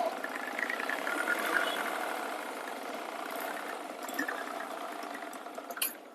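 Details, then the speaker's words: Honda Glamour motorcycle at idle: thin metallic ticking near four a second that other garages took for a failed crank bearing needing engine teardown; actually from the worn bearing under the clutch cover. "Noise உங்களுக்கு கேட்டிருக்கும் ஆனா இந்த noise வந்து பார்த்தீங்கன்னா கிராங் bearing போச்சு engine தான் ஃபுல்லா பிரிச்சுதான் ready பண்ணனும்னு சொல்லி இருக்காங்க ஆனா இதுல வந்து கிராங்க் பேரிங் எல்லாம் போகல"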